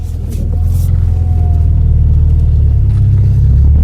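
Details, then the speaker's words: Skoda Felicia Fun Rat Rod after cutting the front arches and swapping the coilovers for heavy-duty springs, creeping on full lock from stationary where it used to rub most. Only a low engine rumble with no scraping from the front arches. "We got nothing. No rubbing. No rubbages. Nothing around the corner."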